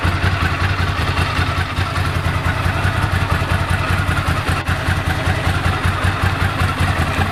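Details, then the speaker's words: 1998 Ducati ST2, 10,596 miles, new open clutch and plates with extra fibre plate reducing rattle, original exhaust about 72–74 dB: uneven twin idle with light loose dry-clutch clatter, more with clutch pulled in. Normal idle with dry clutch rattle. "Still got the normal Ducati rattle, which is good, especially when you pull the clutch in."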